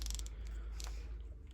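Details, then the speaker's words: Pexma Maximum 21-speed mountain bike: a few quick ratchety clicks from the right shifter lever as it is worked, while the left is silent; noisy right shifter, cause unclear. "şu sağ tarafı da göstereyim sağ taraftaki ne biraz ses geliyor"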